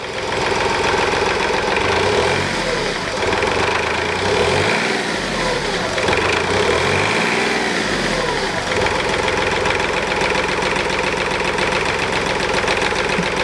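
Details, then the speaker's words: 2010 Smart Fortwo 451, 0.8 turbodiesel, 119,000 km, after a fuel filter change, idling and blipped: a buzzy plastic rattle rides on the vibration; the screwed Mercedes plastic latch on the diffuser has worked loose over time. "это пластиковая защелка и саморез крутили сейчас может быть под него что-нибудь подложим чтобы перестал дребезжать а так это мерседесовский защелка она разбалтывается со временем и появляется такой звук"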